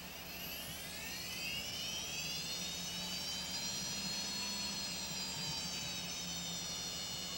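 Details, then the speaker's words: Quantum SCSI hard drive spin-up, not recommended for a quiet PC: a high whine climbs, then settles into a steady piercing tone over a soft hum. Loud but normal spin-up whine. "Donc voilà, c'est le bruit que fait ces disques durs-là."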